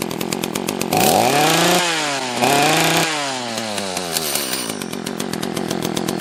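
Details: Echo CS-330T top-handle two-stroke chainsaw, carburetor set a half turn out on both screws: revs surge and sag unevenly, hunting and stumbling; possibly out of gas, running lean.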